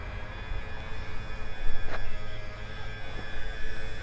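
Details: Ewiks auto movers on Infanta Enkulu 3 caravan, remote controlled, driving caravan backwards; low, steady motor drone with slight flutter, smooth with no grinding; normal operation.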